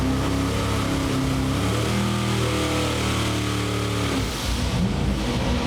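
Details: Carbureted engine, main jets just changed and new cap and rotor, earlier lean sneeze traced to reading wrong timing marks on balancer: pulls with even rising drone under load, eases off cleanly, no misfire; running healthy.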